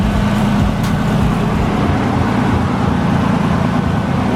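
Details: R33 Skyline RB25DET at idle just after cooling overhaul with new Mishimoto radiator, thermostat and GKtech clutch fan, coolant refilled, no leaks: steady even low rumble with fan whooshing, no knocks or misses; healthy idle.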